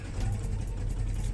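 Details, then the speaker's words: Volkswagen Jetta with EPC light and codes P1579, P1545, P1558: rough, jerking idle that surges up and down and stumbles, with the engine vibrating. Codes won't clear, so the throttle body is judged faulty. "You can see it's really terrible. Show you, it's jerking seriously much, like it's having combustion right there."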